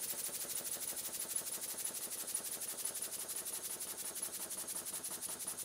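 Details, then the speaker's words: Model steam engine run on air from a small compressor after WD-40 was blown through: quick hissing exhaust beats, about three a second, with sharp knocks returning as compressor pressure falls; too little supply volume to cushion the moving parts. "this has nothing to do with water nothing to do with temperature steam it's all down to the capacity or volume of the air or steam that can be applied to the engine"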